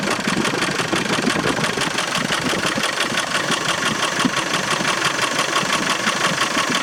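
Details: Land Rover Defender 300 TDI diesel idling steady after a timing belt change: sharp rapid clatter with raspy rhythmic ticking on top, no rev change; abnormal noise, owner suspects loose timing belt or misaligned pulley, unconfirmed.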